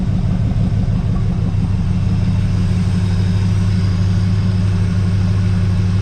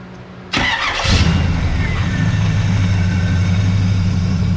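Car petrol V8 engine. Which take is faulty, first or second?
second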